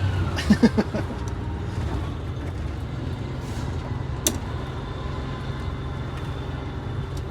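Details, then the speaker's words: MCI 5C coach, Detroit Diesel 6V71 after power upgrade, on the road under heavy throttle: deep steady diesel drone with no knocks or misses, exhaust smoke acceptable; normal running under acceleration. "look at your exhaust it's not bad sounds good"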